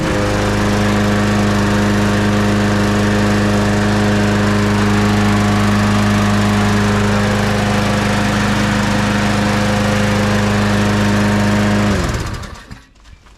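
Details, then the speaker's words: Stihl Viking 5 MB 545 VR lawnmower, Briggs & Stratton Quantum 625/650/675 engine, test run after service with new plug gapped 0.76 mm and fresh oil: steady even drone, no misses or surging, clean shutdown; running normally. "that's running all right."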